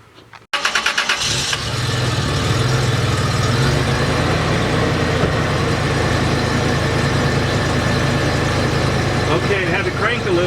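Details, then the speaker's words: 2004 Toyota Tacoma Prerunner EFI at 149,000 miles, started right after fuel filter replacement: a short crank while fuel fills the filter, then catches and settles into a steady, even idle with a low hum; no leaks. "crank a little because needed to get fuel flowing through that filter, and you can see there's no leaks."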